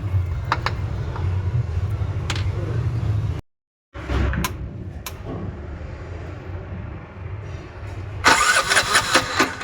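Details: Bajaj BS6 single-cylinder bike after rebuild with new shaft, new bore, new head, new oil seal and gasket: steady low idle thump with no knocks or rattles, no leaks; normal idle.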